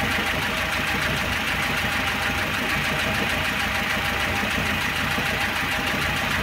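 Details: 1.6-litre carbureted engine, fully warmed to operating temperature, oil pressure light flickering when hot: warm idle with quick uneven light top-end clatter over the hum. Camshaft knock from severe wear of camshaft and its bearing bed.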